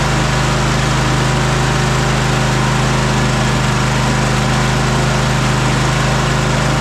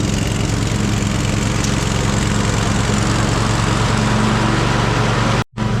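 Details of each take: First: Cub Cadet Super LT 1550 Kohler twin-cylinder engine running after carburetor work and fuel-delivery problem found: steady, even beat with no misses, speed dropping partway and settling into a smooth lower idle; running normally. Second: Cub Cadet Super LT 1550 twin, carburetor work, weak battery on charger: runs better but still lean, apparently not getting enough fuel; fine under full load with blades engaged, but labored when driving with blades engaged; uneven, slightly hunting beat, hollow tone; fuel starvation under load.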